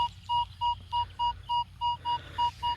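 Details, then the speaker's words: Crisp mid-pitched detector beeps about three per second over quiet background, numbers stable and clean turned 90°, at an old park (since 1832); shallow target, confident coin (maybe 2-cent piece or penny): clean target signal. "when I'm talking about a beautiful signal this is what I'm talking about is how clear that [Music] is relatively stable in the numbers turn 90° beautiful signal what we"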